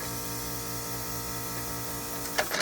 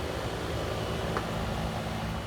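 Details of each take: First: Trane AC outdoor unit, house blowing warm air; steady compressor hum with no fan air, a couple of clicks; outdoor condenser fan motor failed, motor stiff, motor replaced. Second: Trane AC outdoor condenser that was blowing warm air, after replacing the fan motor and a dented 45/5 run capacitor: smooth, even steady hum and fan rush with no rattles, squeals or cycling; running normally.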